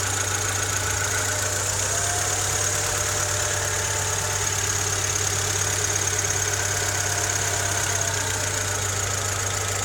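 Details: Honda Civic EK3 with D15Z6 engine at idle: light, somewhat irregular knock about three times a second under the engine hum; cause unknown.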